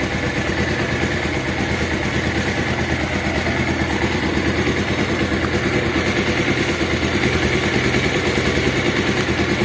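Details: Bajaj Pulsar motorcycle engine after timing chain and scissor/balancer gear noise repair, idling: steady even quick pulse, no obvious chain rattle.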